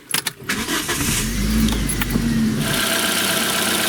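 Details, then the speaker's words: Geely MK with Toyota-derived engine, just fitted new high-voltage ignition leads and rear engine mount: starter catches quickly into quiet, even idle, no stumble or misfire; normal start and idle. "Так, ну вроде нормально работает. Тойотовский двигатель шепчет."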